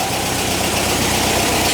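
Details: 1959 VW single cab pickup, air-cooled engine at warm idle before shutdown: steady, even idle with light rapid patter, no knocks or misses; smooth, healthy normal idle.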